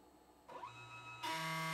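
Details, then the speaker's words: Used, owner-assembled K2CNC router Y axis, 10 TPI ball screw: harsh fixed-pitch buzz, louder halfway, as the stepper vibrates but can't turn the screw, mostly low on travel. It happened mainly when the shop was cold. Cause unconfirmed. "sometimes it just gets stuck and vibrates it makes a sound like the motor is still turning but it's not able to turn the screw well"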